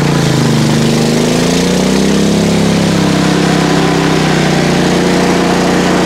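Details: PowerSmart MB5040B 4400 W generator loaded with two space heaters plus a 500 W blower on the 30 A circuit, about 25 A and 3000 W against a 3600 W rating: the steady drone drops and deepens as load comes on, then holds. The overload light flashed briefly; it is working near its limit.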